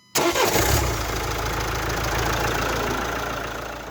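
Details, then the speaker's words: 2016 Renault Talisman with no signal to starter, started by applying 12V directly to starter: brief crank, engine catches cleanly into steady even idle, no knocks or misses; engine fine, fault in starter control circuit/module. "короче друзі все ок наша схема спрацювала прикоснулись плюсиком і все завелось"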